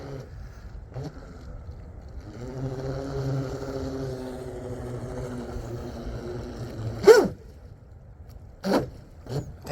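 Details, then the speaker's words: 12S Blackjack 42 RC catamaran with high-rake prop on a Speedmaster strut: steady drive whine stops suddenly with a sharp crack, then scattered thumps; the propeller broke and the shaft is likely bent. "oh man okay well we broke a prop and I bent my shaft man what in the hell those High rake props they they'll they'll break and I break them in the same freaking area every time"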